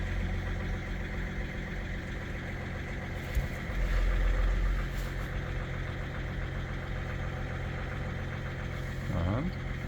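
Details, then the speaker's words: BMW E61 that sat about two months and would not start after a new battery, started after clearing fault 4A63 (EWS tampering) with a diagnostic tool: deep, steady, even idle with a low rumble and no knocking, sounds good. "Voila. Engine is started. Sounds good."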